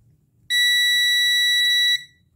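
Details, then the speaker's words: Ultrasonic device board repair, device unplugged, multimeter on continuity: one steady high beep for about 1.5 s. It reads the roughly 2-ohm output inductor winding, which connects directly to the output with no diode, so this is not the short that kept blowing the fuse. "این دستگاه خروجی دی سی نداره یعنی این ترانس بعد از سلف مستقیماً به خروجی وصله پس دیودی در اینجا وجود نداره چیزی که ما داریم در اینجا اندازه می‌گیریم میزان اهم سیم پیچ این سلف هستش"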